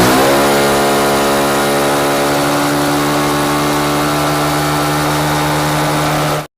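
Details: TVS XL100 BS6 moped that had a starting problem and stalled after short distances, after fuel pump repair: steady, even engine run with constant pitch and no misses or stumbles; running normally.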